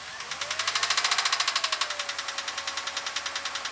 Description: Jeep Grand Cherokee makes noise from the engine. Sound like a Ticking or Knocking sound. Tapping from somewhere around the motor.